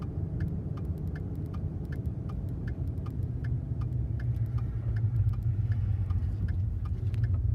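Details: 2014 Ford F150 3.5L EcoBoost, 95,000 miles, chirp started halfway home after first towing a 30-ft camper 150 miles, a week after an oil change: thin high chirp about three per second over steady engine hum from the passenger-side turbo area; cause unknown.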